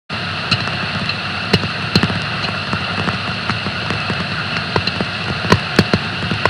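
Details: Bleach decker bearing on a pulp and paper machine, online monitoring: irregular sharp clicks and impacts, a few per second, over steady hiss; damaged rolling bearing.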